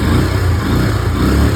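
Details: Hero Glamour motorcycle after tightening the failed timing chain adjuster/tensioner: short, steady low thrum with no ticking or rattle; earlier chain noise gone, engine idles cleanly.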